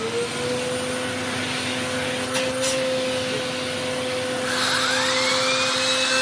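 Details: Eureka The Boss Capture bagless vacuum after repacking two brushroll bearings and replacing the broken belt, testing the power paw brush: smooth steady motor whine, brush spinning up to a higher hum; no grinding or rattling; healthy.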